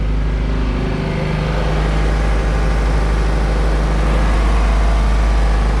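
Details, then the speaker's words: 1999 Chaparral 180 LE bowrider with 3.0L Mercury engine, first start after sitting six months in a shed; steady even low rumble at idle, no misses or knocks; normal idle. "so let's call that good sounds like it's gonna idle just nice"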